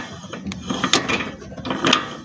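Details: 2001 Honda Civic, CV joint turned slowly by hand with visible play and torn boot; sharp metallic clicks about once a second amid handling noise, worn CV joint.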